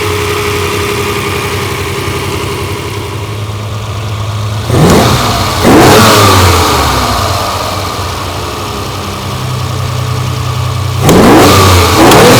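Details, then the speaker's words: Ferrari 330 GTC carbureted V12 after idle mixture adjustment and carburettor synchronization by adjusting screws: even idle, then two crisp blips rising and falling cleanly and settling back smoothly; normal revving. "[Music] that is beautiful there we are perfectly tuned Ferrari V12 no electronics just synchronization with adjusting screws"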